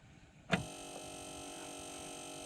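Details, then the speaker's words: 2013 Polaris Ranger 800 EFI after fuel pump replacement for low fuel pressure, key on: click then steady even electric whine at one pitch, no stutter, much better than before; normal fuel pump prime. "snap make sure the key is oh that fuel pump sounds much better"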